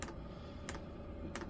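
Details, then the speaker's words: New 5 kW diesel heater during first setup: sharp, even clicks about 1.5 a second as the dosing pump pulses fuel into the line while priming and bleeding. This is normal. "it is filling up with fuel that line goes around here through the pulse the that's the pump that is clicking or you can hear clicking yeah I think it's just needing bleeding"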